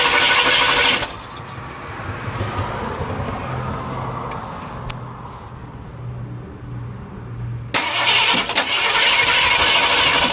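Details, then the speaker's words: 302 V8 in a project truck with rough idle and backfiring: uneven, lumpy idle with a stumbling low beat between louder bursts, one cylinder seemingly missing; number 4 exhaust valve barely moving, likely a lifter problem, possibly a flat cam. "Definitely explains the rough run. Next, pull the intake."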